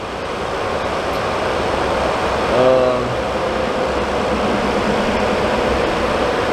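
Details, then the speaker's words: Suburban RV furnace after control board replacement: steady, even blower rush with smooth burner roar, no rattles, squeals or surging; lit first try and runs normally. "Fired right up first try that time."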